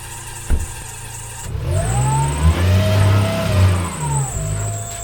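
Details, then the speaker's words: Nissan Micra K13 off-road build, parked for over a year: right after start-up a high squeal rides over the idle and bends with engine speed; worn auxiliary belt squealing, due for replacement. "As you can hear, the Orc's belt is quite quite squealy. That's why we're changing it."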